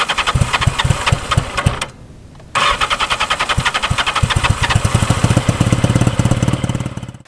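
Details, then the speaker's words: 1983 Yamaha XJ650 Seca Turbo, engine warm: long run of even cranking pulses with a short pause and more cranking before dying out, won't fire; hard warm starting, owner suspects running too rich. "and then the other problem is the hard starting the bike has especially when the engine's warmed"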